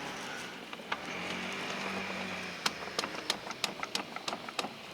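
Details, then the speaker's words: 2010 Jeep Wrangler JKU with clicking in 4WD: engine off, front driveshaft twisted by hand at the transfer-case CV joint gives faint uneven clicks and clunks; grease slung on the heat shield. Worn CV joint, fixed by replacing with a Spicer driveshaft. "but this style drive shaft up by the transfer case here uses a constant velocity joint which is where our problem is number one"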